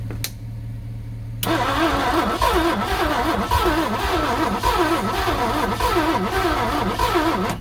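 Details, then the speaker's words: 1967 Thunderbird 428 sitting about 30 years, with a new coil and timing being adjusted: the starter, suspected of getting weak, cranks slowly at about three turns a second, but it never catches or starts. "I thought you might have something there for a minute, but it was spinning a little faster. We were getting one cylinder to fire."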